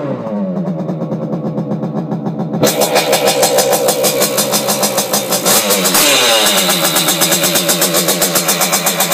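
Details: Simonini new-type engine in a Piaggio Ciao moped (side intake, 21 mm carb, decompression-lever modified head, internal rotor), test run in frame after timing setup: after a few seconds catches into loud, crisp, even two-stroke buzz; decompression valve sealed, running healthy.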